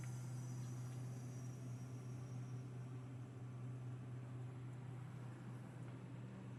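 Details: Subaru Forester after replacing a failed, loud Valeo A/C compressor with a new one: quiet, smooth idle with a steady low hum and no rattle, knock or whine. Normal A/C compressor operation.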